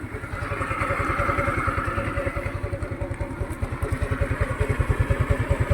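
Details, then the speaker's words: Rusi Rapid motorcycle unused two years, now fitted with a D-type carburetor: after throttle release the single-cylinder idle hunts, surges and sags like it's gasping, then stalls; no stable idle, carburetor found rusted in the jets with moss in the diaphragm. "para siyang naghahabol ay parang naghihingalo na ean ayun patay ayan ayan yung pinaka problema niya"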